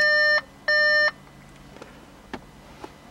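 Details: 2014 Volkswagen Beetle 1.4 DSG, 49,500 km, fault code P0236 (boost pressure sensor) with power loss: two long even beeps with a short gap, then faint clicks; warning chime with check engine light still on.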